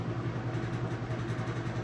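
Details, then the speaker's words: Whirlpool top-load washer on final spin, super load setting: steady low hum and even whir, no knocking or scraping; smooth normal spin. "Okay, and we're back on that final spin. You can see it's got nice smooth operation,"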